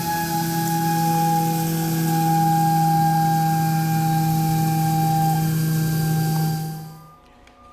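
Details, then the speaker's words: Haas CNC machine running a program: loud steady high squeal with buzzing chatter beneath it through the cut, then stopping; a bad cut where the tool is not cutting properly. "A cutting operation that is squealing and making a chattering noise is not cutting properly."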